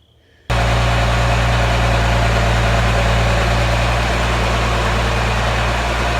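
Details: Cummins-swapped truck just after P-pump installation and fuel bleeding: diesel catches at once and settles into a steady, even low rumble at idle, running smoothly.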